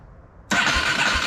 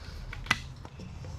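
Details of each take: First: 1987 Yamaha Warrior 350 ATV left in a pole barn for years, newly installed aftermarket starter, boosted by a jump charger because the battery is weak: brisk, steady cranking that spins the engine strongly without dragging. Normal starter cranking. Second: 1987 Yamaha Warrior 350 after long pole-barn storage, new starter, fuel line connected without mounting the tank: cranks steadily about four turns a second for five seconds but never fires; plug test shows weak spark, coil judged bad. No-start from weak ignition spark.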